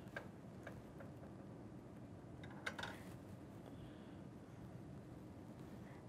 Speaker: make sure you hear the clicking sound that shows you that it's in the next groove